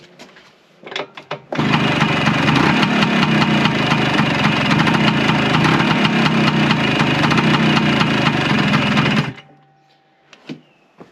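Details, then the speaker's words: Warm Vespa PX with Cosa clutch, in first gear with the clutch lever fully pulled in and the brake applied: two-stroke runs steady then dies abruptly; the clutch drags so badly the scooter tries to move and stalls the engine. "So, that's in first gear with the clutch fully pulled in. Now, from what I gather, that should spin really quite freely, but that's taking quite a bit effort to turn. And basically, that's what's the engine's dragging against and the bike's trying to move forwards when I've got the clutch fully pressed in."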